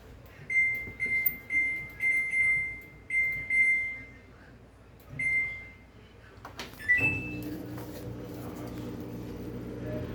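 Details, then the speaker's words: Samsung 10 kg washer-dryer after repair of a broken, loose drum shaft and new bearings, in test mode: beeps, then smooth rising spin motor whine with no scraping or knocking; slight end noise from the dryer fan's damaged bearing. "sereninha máquina sem barulho nenhum só barulho do motor funcionando"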